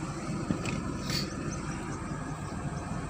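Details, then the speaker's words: Daihatsu Viva automatic idling with AC on, after cleaning and refitting a part with 4DW: even, steady low idle, no rattle that used to appear with AC on and foot on brake; normal idle. "now I solved the problem I solved the problem because every time when I drive this car with the with the AC on and then with my leg on the brake pad it will rattle now it no more rattle"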